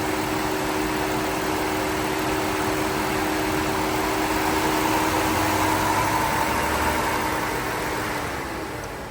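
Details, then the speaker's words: Engine idling with the engine coolant temperature sensor (hidden behind the ignition coil) unplugged: steady idle under a constant whooshing drone from the cooling fan, which runs full time; charging voltage about 14.1–14.2 V. "We can hear the cooling fan on and we can see that voltage is at running voltage about 14.1 14.2."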